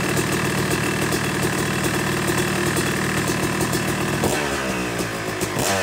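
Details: Yamaha YZ250 two-stroke motocross bike (270cc/250cc) after full engine rebuild (bottom end, transmission, bearings, clutch, power valve), second start-up after cooling, warming to about 100–125 degrees: crisp even idle with quick throttle blips near end; normal warm-up idle.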